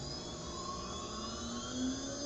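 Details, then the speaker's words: PwnCNC spindle on Longmill MK2 with Sienci Labs SLB via Modbus, after restarting SLB when switching back from laser: steady whir climbing in pitch as spindle ramps up, smooth and even. Normal spindle spin-up. "and you can hear the spindle spin up so I'm not sure if I'm doing that right but that's what I found is you can switch from spindle to laser without restarting the the SLB"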